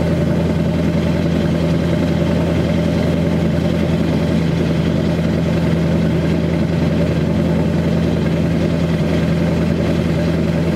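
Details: 2002 Chevy 2500HD LB7 Duramax diesel, cold start at 5°F on Merchant Automotive high idle, with Airdog lift pump, PPE boost valve, resonator delete; steady, even raised-idle rumble, no knocks or misses — normal cold high idle.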